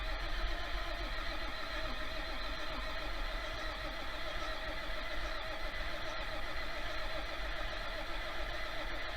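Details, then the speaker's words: 1966 John Deere 4020 diesel after injection pump install: heavy, low, steady churning as it cranks on a possibly weak battery without firing, injection lines cracked open to bleed air until fuel spits out. "I just got to uh bleed the fuel lines out I got them cracked loose I'm just going to crank it over hopefully I got enough battery to crank it over and uh try to get that blood out and then maybe we can start it"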